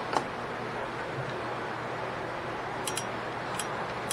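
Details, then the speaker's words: Toyota Corolla (10th generation) rear drum brake during shoe and wheel cylinder replacement: sharp metallic ticks as the star wheel is wound out, now clicking because the adjuster arm makes contact after previously popping out. Normal adjuster ratchet clicking. "You hear it clicking now? Wasn't clicking before because that little arm back there was not making contact."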